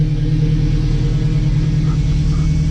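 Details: Newly installed engine on its first start, just after the fuel reached the rail. Power steering fluid is low, and oil pressure is decent and climbing. Deep, steady, even idle with no ticks, knocks or misses: normal.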